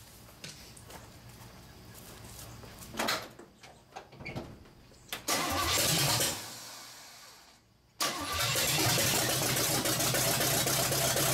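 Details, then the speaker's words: Chevrolet engine with no throttle linkage and possibly wrong plug wires, primed with gas down the throat; long cranking with ragged, uneven firing bursts that never catch to idle; owner suspects ignition timing is too low. "she's trying to come to life I think the timing's too low on it"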